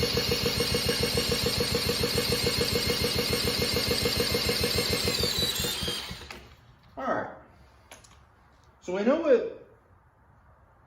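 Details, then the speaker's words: Late-1940s Clinton small single-cylinder engine on a cyclebar, first start attempt after sitting about 50 years: rapid even popping about 200 a minute fading after six seconds; has compression, fires but won't keep running. "try it tried to run we heard it run you know it definitely we definitely was saying I want to run I want to run but it wasn't taking off it's got compression which is good we can hear it"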